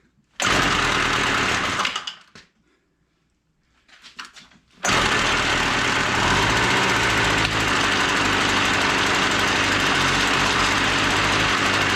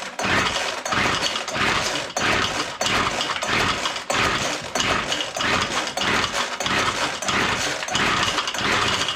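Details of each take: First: WeedEater Featherlite two-stroke string trimmer found dumped, full of water and without spark, now running with no choke after carb screw adjustment. After a brief stall and sputter it settles into a steady, even buzz: normal running. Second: Weed Eater Featherlite two-stroke string trimmer found full of water with no spark, now sparking, pull-starting: rapid pull bursts with brief sharp pops, about ninety pulls a minute, never keeps running.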